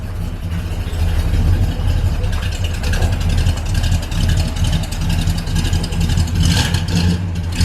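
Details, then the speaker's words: Barn-find vehicle, just started for the first time in six years. Even, deep idle revs cleanly and settles without stumbling or misfire, surprisingly well: normal idle and revving. "i'm amazed that's running so well"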